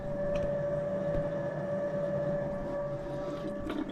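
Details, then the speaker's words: Motorhome Truma water system unused for years and airlocked: the pump gives a steady even hum with a constant mid-pitched whine and water rushing through, no surging, so the pump itself is fine. "Different in color, but it's got water going through it. So, it's not the pump."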